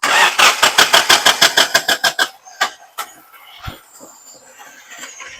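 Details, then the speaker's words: Toyota engine at start-up: the starter cranks in even pulses, then the engine catches weakly with scattered, uneven pops, shaking and not firing well from a misfire. "You see the way the motor is shaking now. It's okay. It's not firing well."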